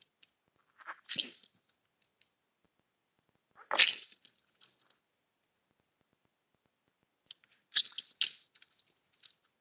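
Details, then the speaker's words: Removed belt tensioner from a 2014 Audi Q7 3.0T, hand-spun three times: gritty rasping whirr dying into clicks; bearings have failed, loud enough to hear with the engine running. "That is shot bearings in a tensioner. You can never run a tensioner that is in this kind of shape."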